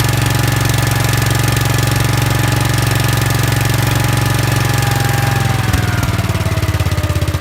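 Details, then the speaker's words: Gravely 5865 with 16 hp Kohler K341 single-cylinder, running after the starter solenoid fault was fixed: even, solid thump holding steady, then easing off smoothly as speed drops, no misfires; runs perfect. "Yeah, so it's running perfect. Runs perfect. So all that because of a stupid solenoid an hour and a half later."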